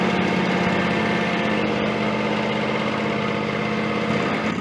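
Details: John Deere X300 with Kawasaki FH engine, 17 hours, after freeing and cleaning the stuck carburetor fuel shutoff solenoid and refilling the bowl: steady, even low thrum at idle with no misses, surging or knocking; runs smoothly.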